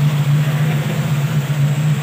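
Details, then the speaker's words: Toyota Lovelife after idle-up repair: steady deep drone at idle, even pulse, no knocks or misses; loud open free-flow muffler, engine itself quiet when the tailpipe is covered, otherwise healthy. "Ayan, tahimik na tahimik siya. Parang di naandar, tambucho lang guys ang maingay"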